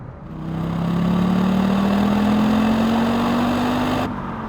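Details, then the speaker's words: Audi Quattro driven hard after fuel pump replacement, before a rally road trip: smooth, even engine hum climbing gently in pitch with revs, no knocks or misses; pump holding, no leaks, healthy running. "Always good to give the car a good bashing before a road trip. Try to break anything when you're close to home. Seems like she's holding together pretty good."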